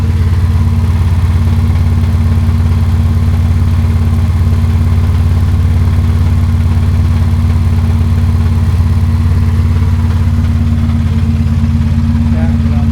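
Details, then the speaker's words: Ferrari 360 at idle, no check engine light, already had a dead cylinder 7 ignition coil replaced: lumpy, uneven idle with steady off-beat stumble about three per second; does not smooth out when warm, definitely still misfiring. "So, let me ask you, does it smooth out at all when it warms up? No. No, it's definitely got a misfire."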